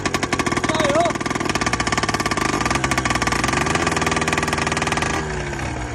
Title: 1960 Crawler Tractor Hard Start#short #shorts #shortsvideo #auto#mechanic #automotive#viral